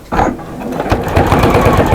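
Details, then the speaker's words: Sewing machine stitching through many layers of a stabilized neck edge binding: quick, even thumps with a harsh punching tick each stroke. The needle is blunt and should be replaced, with a size 12/80 suggested. "oh I could do with a new needle in this I can hear it now because we've stabilized the neck Edge"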